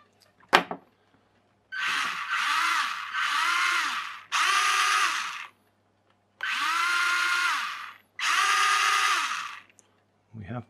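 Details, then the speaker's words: RC rock crawler with a resin-moulded universal joint, reassembled after realigning a slipped plastic shaft bearing: short bursts of high electric whir rising and falling with throttle, smooth with no clicks. Normal running. "all right we're back together we seem to be moving so we'll try it on the floor see how long it lasts"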